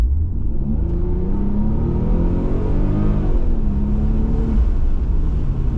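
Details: Toyota Aristo V300 with the 2JZ-GTE twin-turbo engine and a four-speed automatic, after new spark plugs fixed a misfire: a smooth, unbroken rise in engine pitch as it pulls through the revs, with no stumbles. Healthy acceleration after the repair.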